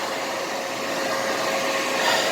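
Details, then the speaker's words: Alinco DR135T radio on a USB RIM AllStar node, with ferrite beads on the power and USB cables. A steady airy hiss with a faint thin whistle remains even with the fan disconnected, though the noise is less. Unexplained noise on the audio. "I don't know what else to do here unless that fan is creating all that noise but I've disconnected a fan and the noise remains okay the noise is less"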